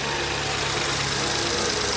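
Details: VW Up at idle just after oil top-up and first start following service and adaptive parameter resets: steady, even engine note with no misses, knocks or shake, healthy smooth-running engine.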